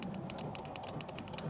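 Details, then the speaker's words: 2022 GMC Sierra/Chevrolet Silverado L5P Duramax; on opening the door, quick uneven dry clicks from the dash as the tailgate latch solenoid fires by itself and tailgate opens randomly, from a faulty tailgate switch, subject of bulletins and recall. "the other issue that's happening is right when you open the door this is this is the fun one the tailgate opens just randomly and you'll know it's opening cuz you'll hear this click in the dash"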